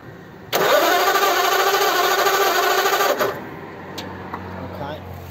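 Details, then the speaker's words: Model A roadster after a year under a tarp: about three seconds of steady starter cranking that never fires; a test spark plug shows no spark. "okay from what i can see there's no spark right"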